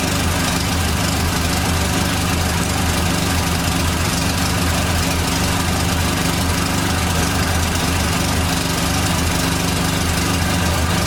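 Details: 1989 Dodge Daytona ES salvage-yard car after fuel system work: steady idle with a thin constant whine over the engine note, noted as power steering whining.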